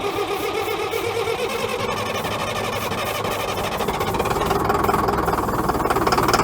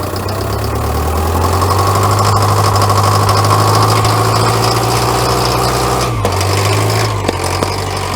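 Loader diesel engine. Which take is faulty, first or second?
first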